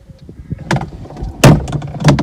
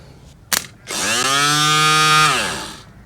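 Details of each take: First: Audi A4 convertible with roof fault, rods reattached: scattered knocks as roof moves, then heavy thump and hard clunk near the end; roof mechanism binding, rods came off again. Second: Audi A4 convertible roof hydraulic pump motor, powered directly after cleaning its brush housings: a click, then a steady high whine for about a second and a half winding down smoothly; the repaired pump motor now runs normally.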